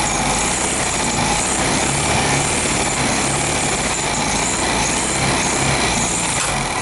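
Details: 1973 VW Beetle air-cooled flat-four after fuel pump replacement and engine overhaul, timing advanced, revving: constant dry scraping hiss; slightly bent pulley rubbing the hammered sheet-metal tin.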